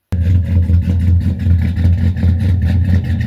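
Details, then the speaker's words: Cammed Silverado LS with a FAST intake, Wilkes ported heads, 1000cc injectors and long-tube headers, first start after the top-end upgrade. Loud, lumpy idle with a recurring hole in the firing; one cylinder is dead, which the owner believes is an injector. "I will add a little clip of it idling you can hear the dead missing it sounds pretty good with the exhaust that's on it"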